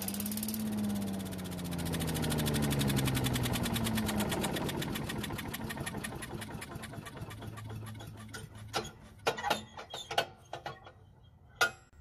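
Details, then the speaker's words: Yardman walk-behind leaf vacuum/mulcher that won't start after storage: fires and runs a few seconds on starting fluid, then slows and dies into clicks, pointing to the carburetor or stale gasoline; carburetor suspected as the problem. "Now if it starts, runs, and then dies, then there's a problem with the carburetor or even the gasoline."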